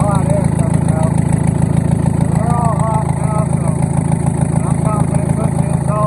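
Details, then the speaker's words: Old Komatsu bulldozer diesel after freeing and cleaning a stuck injector and bleeding the fuel system. Low, even thrum with a steady firing beat and no misses; all cylinders now fire, no more smoke. "I got everything bled out and it cranks up now runs good and I believe that cylinder fixed itself"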